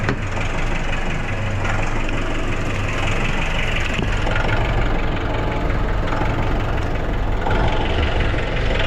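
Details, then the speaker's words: Nissan NV350 diesel idling with a deep clatter, the RPM hunting up and down. It has low power and smelly smoke, but revs strongly. Cause unconfirmed. Hunting idle. "sir yung andar niya parang ano ah taas baba Oo naglalaro yung ano niya yung RPM"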